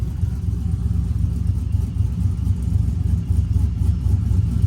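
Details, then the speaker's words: Brian Tooley Truck Norris cam engine idling with HP Tuners idle timing swing set to 5 degrees for a mild chop: low steady rumble with gentle regular loping pulse about four times a second, not harsh. "but yeah I think that's a good balance five degrees uh if you want that mile chop"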